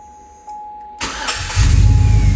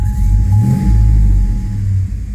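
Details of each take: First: 2005 Chevrolet Tahoe 5.3L 4x4 with a new fuel pump, previously running rough, stalling, crank-no-start and P0174 lean code: quiet ticking, a brief crank, then fires instantly into a strong, even idle; clean, normal start. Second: 2005 Chevrolet Tahoe 5.3L 4x4 with a new fuel pump, code P0174 lean bank 2, stalling: revved in reverse, it stumbles roughly in bursts as the headlights dim; misfire.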